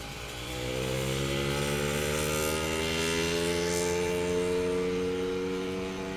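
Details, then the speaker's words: Motorized bicycle two-stroke engine with new high-energy CDI powering two coils on a twin-spark-plug cylinder head; steady crisp buzz climbing slightly with revs, firing evenly with no misses, running better than single-spark ignition. "I'm psyched that runs great is that the higher energy is it twin plug maybe a little of both I don't know but it runs better than with the single plug single spark ignition"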